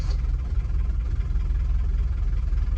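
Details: Diesel car, first start after removing, testing and refitting the injectors, with fuel lines empty: rough, uneven low idle with irregular chuffing pulses and a lumpy beat, as if a cylinder or two isn't firing. Misfire suspected, not confirmed.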